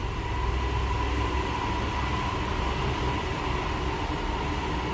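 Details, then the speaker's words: 1969 Ford F100 Custom Cab, 300 cubic inch inline-six warming up in neutral after cold choke start, heard at the tailpipe, no aftermarket exhaust. Steady low drone, even beat, nothing clattering; normal idle. "There's no crazy exhaust, anything like that. It pretty much sounds like you'd expect. 300 cubic inch i6 sound."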